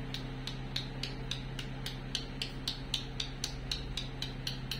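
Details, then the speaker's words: Daihatsu Taruna rear-left power window that was sticking. Tapping the front window channel rubber gives hard tek-tek clicks, about four a second, instead of a soft puk; the rubber has hardened like plastic and the lower rubber is being trimmed. "kita ambil yang depan dan kita kurangin karetnya dengarkan teman-teman ini sudah menjadi plastik dengarkan"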